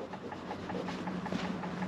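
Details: Corvette parked with engine off and battery going dead, in cold misty weather: soft quick regular ticking about eight a second near the front; owner thinks it is the headlights, not confirmed.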